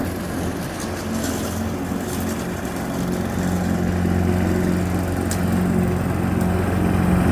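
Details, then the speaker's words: Push mower, previously running only on starting fluid, now mowing on old fuel, cutting about half to one inch of grass: steady single-cylinder drone holding pitch through the grass, no misses or surging; running healthy under load. "So I cut about an inch, half inch off some of that. There's some tall grass over there I'm gonna go through, but it's working, it's good, shouldn't."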